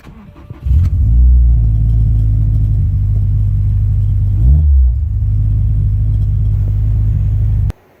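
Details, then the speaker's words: 2016 Subaru WRX STI after replacing an AEM 320 L/h fuel pump that died in three weeks, started on the third prime: catches at once, idles smoothly, one quick rev blip, shuts off cleanly with no fuel starvation. Normal running; fixed. "yeah I think we got her fixed"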